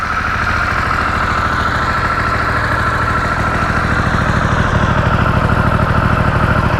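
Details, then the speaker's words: 2023 Harley-Davidson Pan America, stock exhaust, just started in neutral: steady, even lumpy V-twin idle, a little noisy at startup as commonly noted, no tapping or misses; healthy normal idle. "I will say that one of the complaints about this bike is when you first start it up uh let's say it's noisy which it kind of has a little bit of a noise that's not bad"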